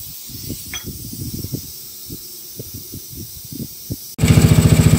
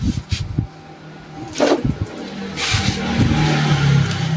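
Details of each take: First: Mio Soulty scooter with a 59mm block, brought in for hard starting and carburetor overflow, head and carburetor removed and checked. After a quiet stretch the engine fires up and holds a quick, even putter of about 214 pulses a minute, running cleanly. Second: Yamaha Mio Soulty scooter with a 59mm big-bore block and a reportedly overflowing carburetor stumbles and catches unevenly at about four low beats a second, never settling to a smooth idle; hard to start and runs rough despite good compression and repeated carburetor teardowns.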